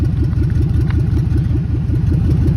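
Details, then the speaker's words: 2003 Ford F-250 van that started without a jump: deep, loud chuffing pulses and a rough low rumble at steady idle. Either a catalytic converter or an exhaust problem, exact spot unknown. "Once again, another one with a catalytic converter. You can hear it, or exhaust issue on it, one of the two."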